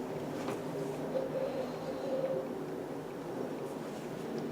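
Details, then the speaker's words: Fellowes AeraMax DX95 air purifier after replacing failed 120 µF 400 V capacitor: steady even fan rush on high speed, no rattle; repair successful. "you get straight to right and as you can probably hear the fan speed has come on too high"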